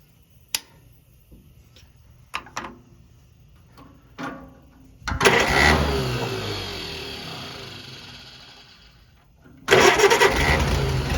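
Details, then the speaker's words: Farmall BN tractor after magneto and kill-switch wiring, timing being adjusted by turning the magneto, cold and out of gear: clicks, then engine catches, runs briefly, fades almost to a stall and fires again; rough, unsettled running. "i might let it warm up before i actually do too much adjustment i'm going to get it where it'll sort of idle"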